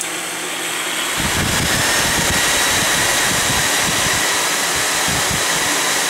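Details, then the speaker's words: Vintage MediaCube nCube 4 server at power-on, only power supplies running with system off and no LEDs: loud, steady rushing fan roar starting about a second in and holding level; normal fan startup noise. "Now that is just the power supplies running. That's uh the actual system as you see is off."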